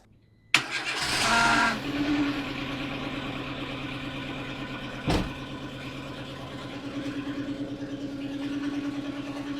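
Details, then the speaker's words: Renault Twingo after intake gaskets, thermostat and battery replaced and coolant refilled, air filter not yet fitted: quick crank and catch, steady idle with loud open-intake hiss, no knocks; normal. "Bon, c'est normal le bruit. J'ai pas mis le filtre àire."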